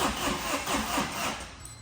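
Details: Tata 2.2 diesel, 150 hp, oil dried out: cranks in slow heavy pulses and fails to pick up, starts but won't rev, loud noise; oil pump not working, scored crankshaft, engine overhauled.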